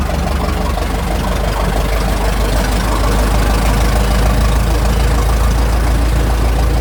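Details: Restored 1921 American LaFrance fire engine (Licking County Fire Dept.), restoration finished, on a ride: deep, steady, even rumble from a big petrol engine with no misses, knocks or rattles; healthy normal running.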